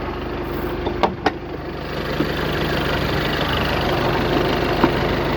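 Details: VW Passat B8 after fixing a no-crank no-start (code P3054, starter relay/fuse); after a couple of clunks, smooth steady idle with no misses or knocks; normal idle.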